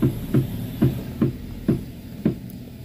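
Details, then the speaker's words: Toyota Avanza-type front suspension, sound while turning the steering: dull, even "tek tek" clicks a bit over once a second with quiet between. "Nih itu bunyinya ya, Teman-teman. Bunyinya tek tek."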